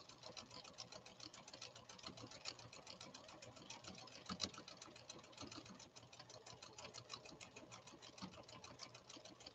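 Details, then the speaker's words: Restored Pfaff Creative 1471 sewing machine (late 1980s–1990s) sewing a complex stitch pattern with a harpoon needle: rapid, even needle ticking with light motor hum, no knocking or grinding; stitching smoothly. "they're changing direction at a crazy rate of speed in order to give us that beautiful stitch output listen to this machine run"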